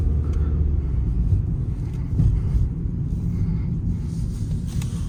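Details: Peugeot 308 (EP6) after swapping polyurethane stabilizer links for standard ones: only low road rumble over rough surface, no front-end clunks or knocks; earlier suspension knocking is gone.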